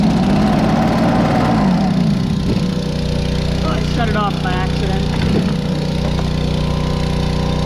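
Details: Two-stroke blower after carb rebuild (ultrasonic cleaned), new fuel line and blown-out reused fuel filter: holds a steady, even buzz with no surging or misfire; runs smooth and healthy.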